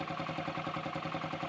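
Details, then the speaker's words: 2008 Yamaha XT125R Big Wheel started after 12–15 years' storage, with cleaned carburetor, new battery, new plug and flushed tank: even, quick putter with a quiet top end, no ticking or knocking; healthy idle. "if oil wasn't getting to the head, it would be noisy by now. It's good."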